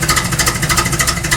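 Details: Car "KITT" being tuned, fine-tuning and vacuum lines checked, idle: quick, even exhaust pulses with no stumble or rattle; sounds properly tuned and healthy, though owner notes something still slightly off.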